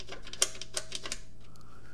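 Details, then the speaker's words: Gotrax GXL V2 scooter after replacement motor did not cure the noise: sharp light irregular clicks from a loose front-end part, mic held close; fixed by wedging rubber to tighten the part and hold vibrations. "it's the losing part losing part here you'll probably hear a little bit bit better if I and I put my mic a little bit close to there and you here"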